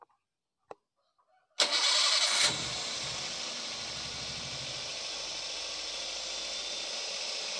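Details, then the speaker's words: Daihatsu Gran Max after adjusting valve clearances that were too tight and too loose: starter cranks briefly, engine catches and settles into smooth even idle, earlier rough tapping gone; back to normal. "agan2 sudah berbeda dari suaranya yang tadinya kasar Tapi sekarang sudah kembali standar"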